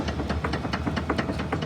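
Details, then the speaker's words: 2016 Ford Explorer front steering, after another shop replaced the right front lower control arm bushing: rapid loose metallic clunks, four or five a second, from the inner tie rod detached from the steering gear; steering clunk from detached inner tie rod. "like how in the heck do you miss that like are you serious the inner tie rod is detached from the steering gear that is crazy"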